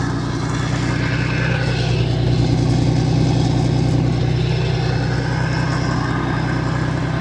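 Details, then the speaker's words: Old Mercruiser inline six sterndrive (1976 120hp or 1973 165hp) being winterized, running on water flush: smooth, even low rumble with a steady beat and no knocks or misses. Idles healthy. "I tell you I like the sound of that old inline six which he revs up just can't hear that when you're in the water cuz it's all underwater"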